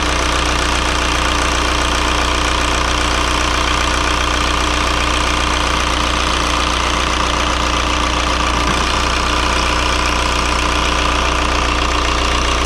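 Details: 2003 VW Jetta TDI 1.9 ALH diesel, manual, just after swapping the 10mm Bosch VE injection pump for a gunked-up 11mm pump: steady, even diesel clatter, no misses or hunting, air apparently out of lines; normal smooth idle.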